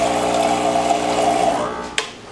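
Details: Rancilio Silvia M espresso machine after full service, filling the boiler on first power-up: steady mid-pitched buzzing hum fading as the pump stops, then a single click; normal pump operation.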